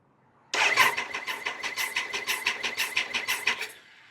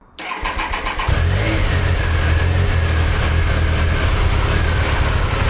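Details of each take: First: Triumph Sprint 955 three-cylinder with spark plugs fitted, after correcting valve shims that caused low compression on cylinders 1 and 2: starter turns the engine at four to five even pulses a second. Even cranking compression. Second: Triumph Sprint 955, running after years off the road, with compression restored by new valve shims: it runs with an uneven rumbling beat and occasional pops. Missing or broken idle control valve pipes to the intake are suspected, not confirmed.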